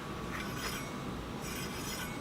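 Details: Heybike Ranger e-bike front disc brake: light hissing scrape swelling and fading as the wheel turns, caliper set too close so the pad rubs the rotor; fixed by truing the caliper and backing the adjuster off about 1/8 turn.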